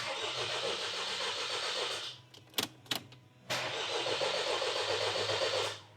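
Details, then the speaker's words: Vauxhall 1.6 CDTi diesel after timing chain replacement, cranking with injectors disconnected to build oil pressure: steady starter cranking with a light, even tick as the new tensioner fills with oil; normal. "Now, you might hear it going tick tick tick tick tick tick while the tensioner is building up full of oil."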